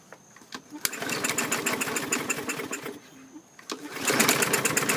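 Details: 2017 MTD push mower with Briggs & Stratton engine, serviced, new air filter: repeated cord pulls at about three per second, engine never catches; has spark, rusty plug tip, moisture in the cylinder suspected, fuel slow to reach carburetor, timing questioned.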